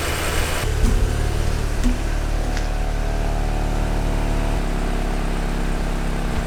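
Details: Volkswagen Golf GTI Mk6 Edition 35 TFSI engine after cam follower replacement behind the high-pressure fuel pump: catches after a short crank and settles to a steady, even idle with no ticking or misses; sounds healthy.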